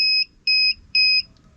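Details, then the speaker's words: FCHAO 'Peter' 12V inverter on a 12V sodium battery, discharged to about 10.0 V at the inverter (10.25 V at the battery): three short beeps and clicking at low-voltage shutdown after 39.3 Ah drawn. "but eventually the inverter decides when to turn off oh which is right now I could just hear the clicking okay that's it voltage increases a bit"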